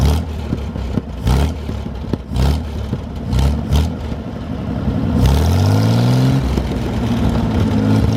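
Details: 1973 GMC 432ci V6 engine, out of a parted-out truck and sitting unstarted almost five years, run after light prep: low, lumpy idle with a few throttle blips rising and falling smoothly, no knocking; normal idle with light revving, sound engine.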